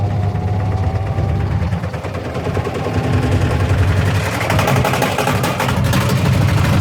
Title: My Washing Machine Making a loud banging noise.